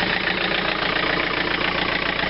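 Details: Tractor (2720 with 110 TLB) diesel just after a glow-plug cold start at about minus 12 to 13 degrees: even steady idle clatter with no misses or heavy knocks; engine settles and runs smoothly.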